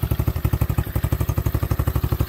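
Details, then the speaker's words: Apollo 125cc ATV after fitting an adjustable aftermarket carburetor (stock ran lean) and adjusting the throttle cable: rapid, even light tapping over the single-cylinder idle from the top end; owner suspects valves need adjusting. "i might need to adjust some vowels on this thing kind of here a little noisy but"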